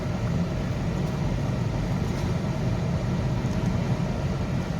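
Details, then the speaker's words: 2003 Chevy Trailblazer after ignition coil replacement, driving at about 30 mph where the light used to blink: even low hum with no bucking or misfire pops, check engine light not blinking; normal running. "so let's get it up to 30 no and she's she's running pretty good"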